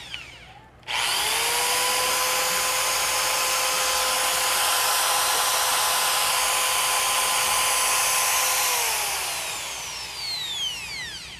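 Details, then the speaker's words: Makita electric drill after forward/reverse switch replacement: spins up to a steady clean hum held about eight seconds, then winds down smoothly; healthy motor, normal running. "So yan yung tunog niya guys. Ayan. Yan yung tunog ng kanyang So pag i-humming natin siya, siyempre magkaroon siya ng ingay kasi humming siya."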